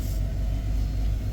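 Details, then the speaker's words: Mercedes E300 W124 abandoned 9 years, repaired and driven daily for a few days: short deep even idle rumble with steady loudness, no knocks or misses; runs better each day; normal idle. "every day that I'm uh driving the car runs better and better because everything comes back to life"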